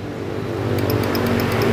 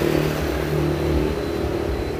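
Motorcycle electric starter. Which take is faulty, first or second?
first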